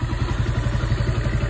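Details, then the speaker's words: Orcal Astor motorcycle, unused for a while, running after a kick start following many failed electric-start and kick attempts: a quick, even, thumping idle with a deep beat and light clatter. Hard starting, electrical fault still under investigation. "J'ai utilisé le kit plusieurs fois, le démarreur électrique plusieurs fois. Beaucoup de mal à la démarrer."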